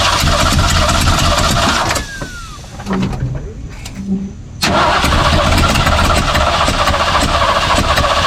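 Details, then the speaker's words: 1964 Ford 289 in a 1962 Mercury Meteor: it catches in ragged bursts, stalls and won't settle. Ignition timing is suspected. "this is definitely a timing problem it's got to be a timing problem sounds like a timing problem"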